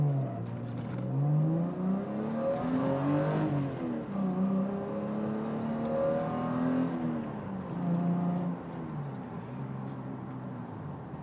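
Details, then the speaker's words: 1996 Toyota Supra, naturally aspirated six-cylinder, 164 kW, 1460 kg, from the cabin: smooth pull, pitch climbing cleanly through each gear with even shifts and no misses or rattles. Normal acceleration, though the launch is less brutal than expected. "164 kilos and only weighing fourteen hundred and sixty kilos I expected it to be a little bit more brutal on the on the launch"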